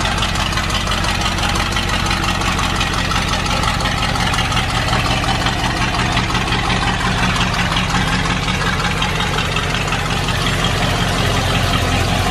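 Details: Ford Bronco with newly refitted cylinder head and FiTech EFI, after priming fuel and setting ignition timing: steady, even idle with smooth unbroken low rumble, no misses, knocks or ticks; engine running cleanly, normal idle.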